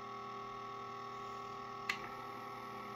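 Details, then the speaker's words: Sony TC-K611S three-head cassette deck at power-on, not working: constant whirring transport drone with one sharp tick, nothing moving. "The noise is a bit grim, but it could be a couple of things. It could be a belt. It could be one of the gearing. It could be at fault."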